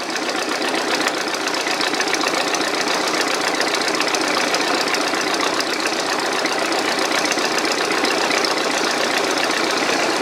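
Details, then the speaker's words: Early-1950s Massey Harris model 30 with a 162 cubic inch Continental flathead, sat for months with the carb run dry, on choke just after firing: fast, ragged, uneven low idle. Rough running while the float bowl fills. "Well, that's a good sign, but that means it doesn't have full fuel in the carburetor yet."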